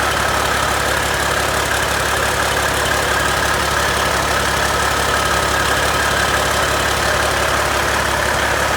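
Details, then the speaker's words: Rebuilt Caterpillar C-15 truck diesel on its first start after overhaul: steady idle with an even, low clatter, good oil pressure, no knocks, vibrations or odd noises. "okay well didn't throw a rod through the side got pretty good oil pressure um everything sounds good no vibrations no nasty noises"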